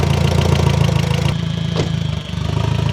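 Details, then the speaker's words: Audi MK1 TT 1.8T after aluminum radiator install, first start, power steering low: throaty idle wavering and stumbling with brief sag; rough idle, later codes for cylinder 1 and 2 ignition and camshaft position sensor. "starting to idle a little funny. Okay, I'm gonna shut it down."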